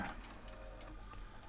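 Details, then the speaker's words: Panasonic DMR-EZ47V VHS/DVD combi after repair of the U81 error by replacing blown capacitors, loading a VHS tape; quiet short whirr with light gear ticks as the cassette seats smoothly, and it plays fine with tracking slightly out. "You can hear it working, it's playing fine now. Tracking might need slightly adjusting."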